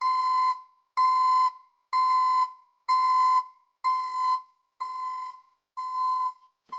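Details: ECCO 530 backup alarm newly installed on a Silverado pickup: loud, clean mid-pitched beeps about once a second, even on-off pattern; working properly, like a commercial reverse alarm.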